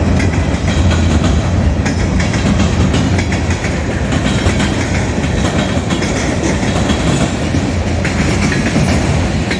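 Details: Southbound CSX freight at South Beech Street crossing, Oxford, OH, passing fast: heavy rumble with quick repeated clacks of wheels across a large joint gap; onlookers suspect a bad spot in the track.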